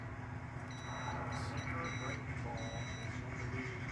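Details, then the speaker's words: 2013 Subaru Forester engine-side harness, meter continuity test on ground pins around 34–37: clean high beep in short bursts as each pin is probed; those grounds have good continuity. "third row up third one over I should hear that tone remember that sound"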